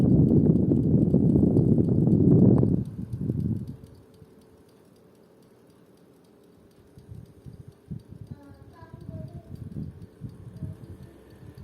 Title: Toshiba Shorai Edge (10000 BTU) indoor unit "clicking" noise